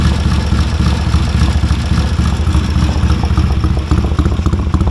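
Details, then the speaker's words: 1970 Triumph T100C twin, revived bike with straight-through pipe: deep, steady burbling idle, even pulses about four per second, no knocks or rattles; healthy idle, oil drip underneath. "Sounds like a Triumph. Got a drip of oil underneath it already."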